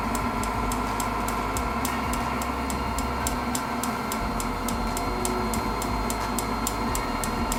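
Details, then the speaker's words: Propane heater modified with a fan dimmer and propane regulator: even piezo igniter ticks about three a second over a steady fan-and-burner roar; the piezo now sparks continuously. "you can still hear that clicking from the piezo but that piezo will be on all the time now"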